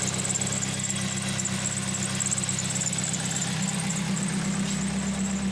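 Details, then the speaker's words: 2004 Toyota Celica GT (1ZZ) at idle after power steering repair: steady idle with a rough puffing tick about twice a second and a hissy edge, a really loud exhaust leak; power steering now quiet. "yeah there's also an exhaust leak it's really really loud"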